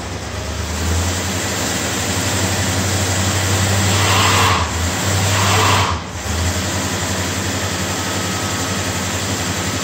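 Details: 1955 Studebaker Speedster under restoration, rebuilt power steering, idling after sitting since last June; thin steady high whine rides over the engine, power steering pump whining from air in the system, needs bleeding.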